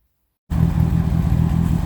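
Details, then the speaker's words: Turner Ranger four-wheel-drive, four-wheel-steer tractor, 1098 A-series engine, run again after battery charge: catches and settles into a steady even low chug, no knocks or misses; running quite well. "running quite well now"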